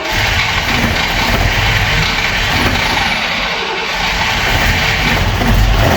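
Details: Opel Manta hatchback with Ascona front end, first start after about 20 years sitting, camera at the front; runs loud and lumpy with uneven beat and speed drifting up and down, a little missy: misfire, cause unconfirmed.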